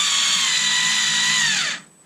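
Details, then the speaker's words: Black & Decker 3.6V Gyrodriver being rebuilt: twisting the hand right drives the screw with a bright, steady motor whine that drops in pitch as the screw seats, then stops cleanly; working normally. "Now if I twist it to the right, hey, look at that! So I put it there, twist my hand to the right,"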